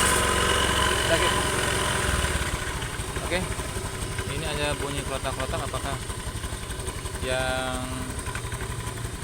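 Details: Scooter with damaged CVT rollers, noisy and reducing performance, needing replacement: engine runs steadily with an uneven rattle pulsing about four times a second over the hum; worn CVT rollers.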